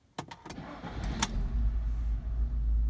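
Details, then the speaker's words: Seat Altea XL petrol after throttle body replacement (earlier EPC and traction lights, misfires, unstable idle, no power): a few quick cranks, then the engine catches at once and settles into a smooth, even idle; starts normally. "voiture démarre normalement mais voyons se sont éteints"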